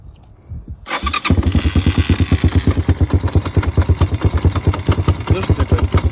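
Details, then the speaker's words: Kayo K1 engine starting and idling lumpily at about three thumps per second, with a hard knock on each beat, from the centrifugal clutch area. Centrifuge and clutch basket were checked and found fine; valves are suspected but don't sound right. Source unknown. "Короче, К1 появился какой-то стук в моторе."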